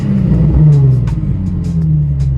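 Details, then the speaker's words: Nissan 350Z V6 after ignition coil replacement for a misfire, still warming up, oil pressure about 50–60 rising with throttle: smooth, even revs rising and falling cleanly, no stumble or skip; sounds healthy, to keep testing. "Pues sí, yo lo escucho bien, no sé ustedes. Vamos a ser cuestión de seguirlo probando, de seguir viendo qué es lo cómo se va a ir comportando."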